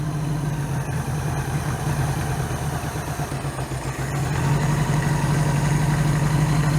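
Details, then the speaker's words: 1982 Honda GL1100 Goldwing, single Solex-type carburettor conversion with electric choke, just started cold: steady high-pitched fast idle rising slightly; possibly over-choked or choke slow to release, needs fine tuning. "Well, that's not too bad for just starting up. Yeah, that's not too bad. She needs a little fine tuning, but that's not too shabby."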